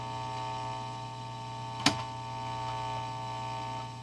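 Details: 1955 Magnatone 108 Varsity Deluxe amp, before opening, both knobs at noon then volume up, mic pointed at the amp. Steady low mains hum with a faint buzz and a sharp crackle pop.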